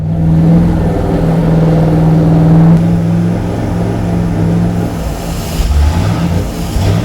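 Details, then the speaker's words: 1971 Plymouth 'Cuda 340 with Thermoquad carburetor on a dyno: after a rev the engine holds a high steady drone and won't return to idle; a carburetor problem keeps the revs up. "You know what? I seem to have a problem with the carburetor. See, when I brought it back to idle, didn't want to idle."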